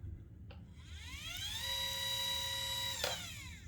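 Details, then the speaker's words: Celestron CGX mount motor slewing normally after the loose worm-gear motor mount screw was turned about 1/16 turn to give roughly 1 mm of spring play; clean whine rising, holding, winding down, with no barking. "that was it just that little tiny turn fixed it"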